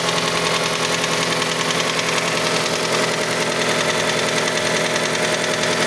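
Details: Mazda CX-5 engine, cold idle: a steady light ticking knock, roughly two per second, present until about 70 degrees; cause unknown, the variable valve timing mechanism is suspected.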